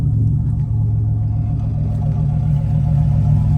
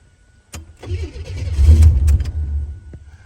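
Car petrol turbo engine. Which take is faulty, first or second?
second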